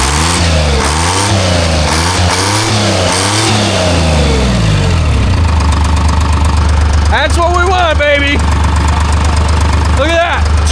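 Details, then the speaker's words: Timberjack skidder, rebuilt Detroit Diesel 3-53, restarted after fuel line opened: catches with uneven stumbling beat before settling, likely from air in fuel; stick and leaf blocking tank bottom fitting removed. "It's probably going to sputter a little bit because there's a bunch of air in the fuel now."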